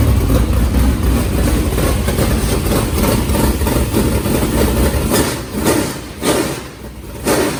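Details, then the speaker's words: New MB Custom race car being readied for the season, warmed up during an oil change, with different Speedworks headers: loud, lumpy race-cam idle with sharp throttle blips that rise and fall cleanly; running strong. "all right so we got some heat in it doing a little oil change got it draining down in there this thing sounds good it's got a completely different sound too"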